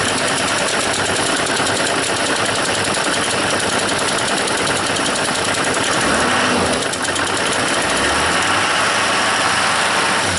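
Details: 2002 Chevy 2500HD 6.6 L Duramax diesel with Allison 1000 transmission, revved from idle: constant whirring hiss over the idle that climbs with revs; accessory drive noise under diagnosis.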